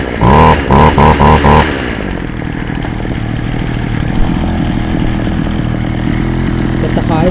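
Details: Poulan Wild Thing two-stroke chainsaw, warm, started on half choke; a few sharp revs then an uneven, wavering idle that never settles, before high-screw carburetor adjustment; owner says it may need a compression ring and carb kit; rough running.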